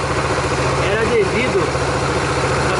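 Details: Dafra Maxsym 400i scooter at about 17,100 km, after CVT cleaning for a hiss, brake pad change, gear oil change and throttle cable lube: settles into a steady, even idle with no drive-side scraping or rattling; healthy.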